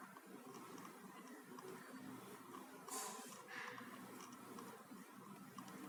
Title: HP Notebook making continuous clicking sound.